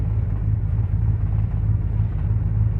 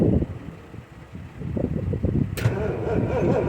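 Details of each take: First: 1979 Ford F150 Supercab 460 V8, cold start at about 20-something °F after tightening carb bowl screws and cleaning terminals and grounds, jump pack attached: deep, even V8 burble holding steady with no stumbling or knocking; normal cold idle. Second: 1979 Ford F150 Supercab 460 V8, carburetor bowl leaking fuel, fuel pressure gauge not working: steady rhythmic starter churn of three to four beats a second, engine never catches, then loses battery power; crank no start, cause not confirmed.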